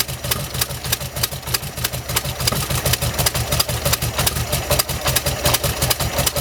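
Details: 1971 VW bus air-cooled engine after carburetor replacement, timing about 4 degrees out: lumpy, uneven idle chuff of about three pulses a second, running rough like a misfire; owner suspects plugs and wires, cause unconfirmed.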